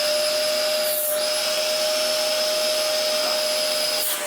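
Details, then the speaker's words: Early-2000s Dyson DC04 upright vacuum with original belts and purple brush roll, running: a steady high-pitched motor whine with constant airflow and no wavering or rattles; it works well and pulls strongly. "Oh yeah, it works really well."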